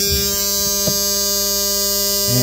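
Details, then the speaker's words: Aftermarket 40 A relay, drawing about 15 A, switching cargo LED lights from a PWM-dimmed OEM lighting circuit: a steady, harsh electrical buzz as the relay chatters on and off, heard with the fix removed; a capacitor between the battery and load sides eliminates it. "you're basically hearing that in the relay because the relay is basically turning on and off and this capacitor basically eliminates that issue"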